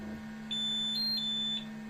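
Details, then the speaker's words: 3D printer filament-runout alert: a short run of high-pitched beeps over a steady low hum as the printer detects the filament has run out and pauses. "uh this is the first time uh this has happened but it's good that it it actually did notice that the filament ran out"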